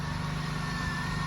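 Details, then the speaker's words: 2003 Pontiac Bonneville, base 3800 V6, 180,000 miles, after new ignition coil and fresh GM coolant: quiet, smooth even idle, soft low hum, no misses or knocks. Normal idle. "Sounds pretty good. It's just the base Pontiac Bonneville."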